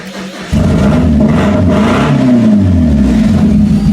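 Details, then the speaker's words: Stripped Mazda 3 derby car, first start after installing new gas tank and battery: engine fires and settles into a lumpy, uneven, stumbling beat; misfire, running on three cylinders. "that's right it runs now this is only running on three cylinders people"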